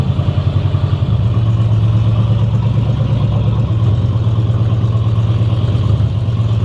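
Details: 1960 Chevy Biscayne engine running with timing set, a heavy, lumpy low rumble with a rough, uneven hit-and-miss pulse, shooting fire. It had grown progressively worse.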